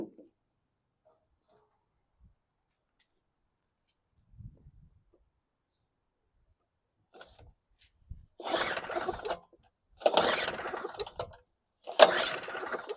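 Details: WildFire WF1200 2-cycle generator (model 8WLDS.0645WM, 50:1 mix) after an aftermarket petcock replacement: three rasping recoil pulls about two seconds apart; it turns over but never fires. Cranks, no start.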